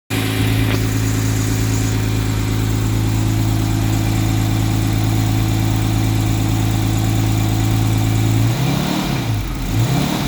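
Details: 1989 Jaguar XJS 5.3 V12, restarted after cutting out while driving (owner suspects ECU wasn't firing injectors): deep, uneven lumpy idle with revs dipping and swelling, odd surging when throttle held just off idle; revs up fine, seemingly on all 12 cylinders.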